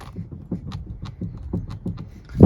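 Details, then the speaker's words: 2014 BMW F34 3 Series GT 320d: dull hollow knocks two to three times a second as the steering is worked, from the steering column; a bushing needs replacing. "that is the knocking noise of the steering columns there's a bushing that needs replaced which I'll do as well"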